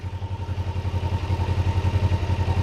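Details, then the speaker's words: Kawasaki Ninja 500R parallel twin, warmed up, idling around 1300 rpm with gauges damped: lumpy, slightly uneven pulse between firings; carburetors mildly out of sync, before adjustment. "I have these crunched down so there's just a tad bit of movement, and I can see that they're definitely out of whack. Not a ton, but they're out of whack."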